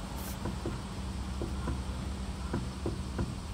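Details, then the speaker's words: Suzuki Alto clunking over bumps and manholes: rocking the wheel side to side on a lift gives dull clunks. There is no play at the outer tie rod end but play at the inner rack-side joint; the steering rack is to be replaced with a rebuilt unit. "はいはい分かったはいこれガタが出てます対応ですね左右にかぶると音が発生しましたイオンが発生しましたステアリングのどこかしらで音が鳴っているというのはですね明らかですので"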